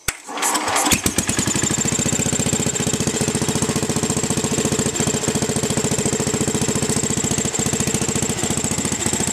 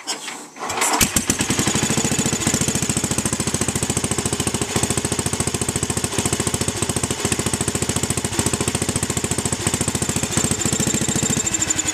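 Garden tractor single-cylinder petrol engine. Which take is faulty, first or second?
first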